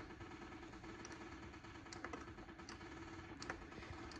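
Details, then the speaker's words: Kubota T1600 diesel mower, 530 hours, first start in years, key on: quiet, steady electric buzz with a few light ticks as the fuel pump primes normally, before glow plugs and cranking. "got some lights sounds like a Heather fuel pump"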